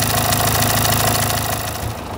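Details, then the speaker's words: Renault Symbol, a month after a full engine rebuild: steady ticking clatter on an uneven, vibrating idle; the timing belt jumped a tooth after its tensioner bearing failed; cold mornings bring about 20 seconds of not starting. "gergi bilyası arızası çıktığı için araba semti atlamış diş kaçmış O yüzden gürültülü değişik bir şekilde çalışmış mı değişik bir şekilde titreşimli çalışıyormuş"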